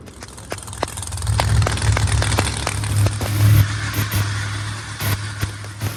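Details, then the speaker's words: Idle after the repair, once two reversed wires were corrected, at near operating temperature: steady, deep idle with a firm, even beat, no misses or stumbles; all cylinders healthy. "S6 now Idol's perfect sounds healthy cylinders are all good it's pretty good temperature so we're pretty close"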